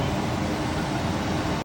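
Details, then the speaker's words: Tesla Cybertruck an hour after supercharging, parked: loud steady cooling fan roar nonstop, then cuts out; service logs show louver disconnected and grille shutter blockage, shutters stuck closed. "I supercharged it over there and I supercharged it maybe like an hour ago and we've been sitting here and this thing is just was loud nonstop like the vents down there we're still closed"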